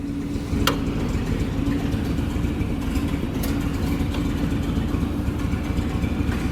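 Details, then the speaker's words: 1927 American LaFrance fire engine, Buda engine, 3-speed transmission, after transfer case rebuild with new bearings, very cold day, just started and off choke: steady low, even idle with a firm rumble, no knocks or misses; normal idle. "This thing runs awesome. This Buddha engine is just"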